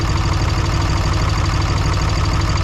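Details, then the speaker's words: 3rd-gen diesel with new BD Diesel 90 hp injectors, overfueling at idle: heavy, uneven low rumble with a lumpy beat; diesel coming out the exhaust pipe. Heat-gun port temperatures of 40–60 °C couldn't identify the faulty injector. "I'm gonna wash out a cylinder. I got diesel fuel coming out my exhaust pipe right now."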